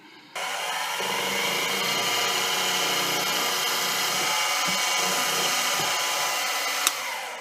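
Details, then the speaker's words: Milling machine spot-drilling T-nuts with a center drill held slightly off center in a decent but imperfect chuck: steady high spindle whine with rough, faintly pulsing cutting hiss; runout chatter, no harm done. "Sounds like that center drill was a little off center in the chuck, which sometimes happens."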